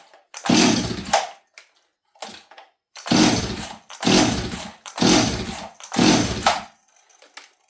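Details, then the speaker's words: Chainsaw (026) left sitting 3 days and cranked unprimed on full choke after a month of repairs with new parts and a checked tank vent: about one pull per second, five or six hard pulls without catching; the cause of the hard starting is still unknown. "This thing will not start regularly, and I've been having more and more problems with starting."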